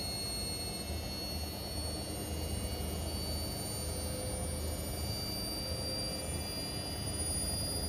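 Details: Indesit Innex XWSC61252 washing machine, brought in for not draining, on spin test after repair: steady, even spin roar with low rumble, no knocking, scraping or hesitation; spinning smoothly.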